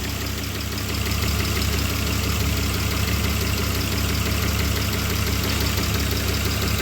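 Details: BMW E34 5 Series M50B20 six-cylinder, warm: idle pulses low and slightly uneven and never settles, with intermittent cutting out at low revs. Fuel pump replaced without help; owner suspects a folded intake pipe letting in air, and plans to change temperature sensors.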